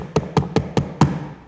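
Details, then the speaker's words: VW T6.1 door after first insulation: five crisp knocks on the door panel; touching plastic parts inside rattle, and holding them stops it; fix is foam pieces wedged between the plastic parts. "What is definitely worth after this first insulation is a small tap on the door panel to hear what may still be rattling on the door panel."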